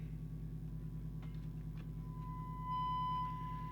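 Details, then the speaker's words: Lake Manxman 850 UK CB27/81 mobile CB radio on the bench for receiver service adjustment: steady hum, then a test tone coming through harsh and buzzy with hardly any volume; receive FM detector far out of alignment, though sensitivity is fine. "oh that sounds pretty crap okay we've got the sensitivity but we've got hardly any volume"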